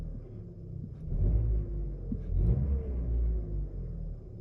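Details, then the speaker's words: 2013 Chevy Cruze after replacing the turbo bypass valve and purge valve (codes P0171, P0304, P2261; rough, bouncing idle before); engine picks up cleanly on throttle blips with a smooth rumble and no stumble, idle now stable, check engine light gone. "No more check engine light. Idle is now stable. It was bouncing around like crazy earlier again."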